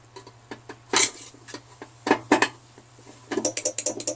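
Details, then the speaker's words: Welding machine with failed PSU, 12 V/24 V regulator transformer: sharp dry clicks then fast irregular burst as the 24 V supply voltage fluctuates up and down; relay chattering from unstable 24 V supply. "Nah, itu saklarnya sudah ada bunyi. Artinya supply 24 voltnya sudah ada, tapi belum normal."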